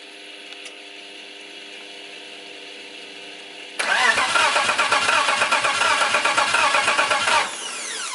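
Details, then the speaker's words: BMW E90 with a turbo M52 swap, cranked with a spark tester fitted: steady, even cranking for several seconds, never firing; no spark, missing ground suspected. "no spark what no spark what are you missing frankie"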